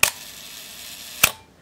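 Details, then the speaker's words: Minolta SRT 202 35mm SLR shutter at the one-second setting, where shutter faults would be apparent: two crisp clicks about 1.2 seconds apart, opening and closing cleanly with no drag. Sounds very smooth and works well. "and that sounded pretty good if you're going to uh encounter one of these that has problems with the shutter mechanism it will be very apparent at this one second setting so let's listen to this again that sounded very smooth and seems to be working well"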